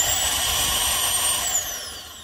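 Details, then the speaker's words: Toyota Sequoia 5.7 bank-one secondary air injection pump, behind the right fender, energized directly. Steady, smooth, high-pitched rush like a vacuum cleaner with no grit; a good pump operating normally, unlike the gritty bank-two pump. "these pumps should sound like a vacuum cleaner they should put out a decent amount of air i'm gonna go ahead and energize pump one this is a good one"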